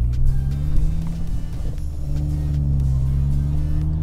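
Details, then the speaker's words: MK6 GTI after fitting front and rear subframe locking collar kits, coasting while slowing down: steady low road rumble and engine drone, no knocks or clunks over bumps; subframe sounds solid. "now let's see i'm coming i'm slowing down see if you can hear any clunking no none right now"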